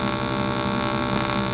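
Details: AC TIG welding of aluminum at about 100 amps (machine ranges up to 140), foot pedal, filler added to the puddle: steady buzzing arc hum with a fixed high whine above it, no sputter or crackle; an even, stable weld.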